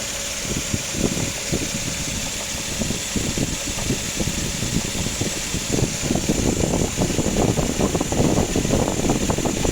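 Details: 2004 Suzuki Grand Vitara XL7 2.7 V6 petrol at idle: rapid, sharp woodpecker-like knocking over the engine note; cause unknown to owner, timing belt set fully replaced 3,000 km earlier.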